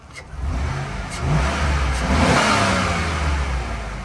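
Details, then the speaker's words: 2004 GMC Yukon XL SLT, Vortec 5.3L pushrod V8, engine bay revving: smooth climb and settle, deep even exhaust note, no ticking or knocking; healthy engine, though AC makes some noise, possible leak suspected. "This is the Vortec 5.3 liter V8 push rod. I like it. Bare bones, simple, and she runs really, really good. There's no ticking."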